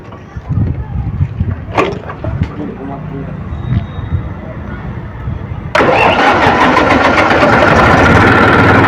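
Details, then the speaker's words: Massey tractor diesel, suspected diesel injection pump problem: the starter grinds slowly for several seconds with faint puffs before the engine finally catches and settles into a loud idle; hard starting. "तो अभी हम start करते हैं आप लोग देखिएगा engine को कितना टाइम लगता है स्टार्ट होने में कैसे राउंड लेता"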